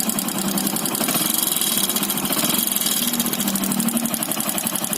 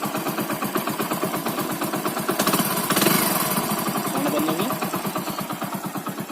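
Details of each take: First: Motorcycle engine at idle: a quick, even knock rides over the engine beat with each turn; the piston has gone loose in the block (worn bore), causing piston slap. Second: Bike single-cylinder engine after replacing the cylinder block and reassembling the head to cure piston noise: idles with an even, steady putter and no tapping or knock; normal running after repair.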